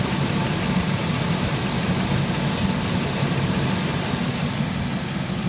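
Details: 2003 Chevy Express van idling with a light, quick ticking like a tensioner or lifter tick, which turned out to be a loose spark plug boot.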